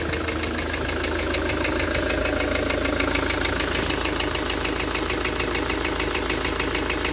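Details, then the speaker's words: Ford Transit campervan, shelved since early 2020: fast, very even ticking about three per second over a steady idle; owner first suspected an injector, source not confirmed. "So I'll show you this engine fault. See, it seems to be like a kind of ticking noise. I thought it was maybe an injector at first, but I'll let you hear it."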